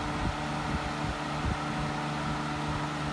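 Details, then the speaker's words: Hunter 12" table fan (special edition, April 2004) on speed 3: steady rushing air with low hum and light rhythmic thumping, loud like an old box fan but moving lots of air; cause unclear. "right now spe3 sounds like an old box fan from like the 80s 970s like the loudness of it but it's definitely moving it t of air"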